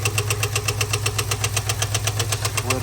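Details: 2022 Ford F-250 7.3L at steady idle: a hard, even ticking knock about four times a second. The cause was a stuck hydraulic lifter with a loose rocker and a failed roller, which damaged the camshaft.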